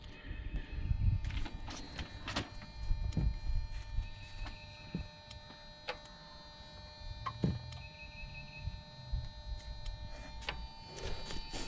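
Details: 2007 Jeep Compass with code P0017: intake VVT solenoid clicks sharply and distinctly over a steady hum when commanded by scan tool, working normally; exhaust VVT solenoid didn't click and was replaced.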